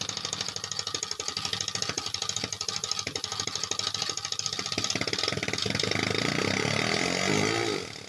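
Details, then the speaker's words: 3D-printed single-cylinder air engine with PVC cylinder and O-ring piston: hissing chuffs with an uneven, stumbling beat, misfiring because the exhaust valve had no return spring. "in this clip you can hear the engine misfiring that's because the exhaust felt didn't have a spring at first"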